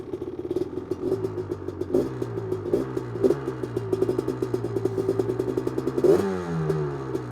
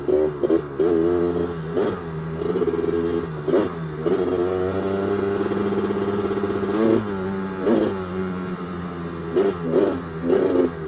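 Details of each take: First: 1985 Honda ATC 250R two-stroke, freshly rebuilt engine (new crank, rod, Wiseco piston, bored cylinder, seals) after holed piston, gently test ridden under first load: crackles and blips through light throttle, picks up crisply, no bogging; running well, more responsive. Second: 1985 Honda ATC 250R two-stroke, freshly rebuilt (new crank, rods, Wiseco piston, bored cylinder), being broken in under load: revs climb, then stumble and sag at full throttle. It is bogging; the mechanic suspects flooding from an oversized 180 jet.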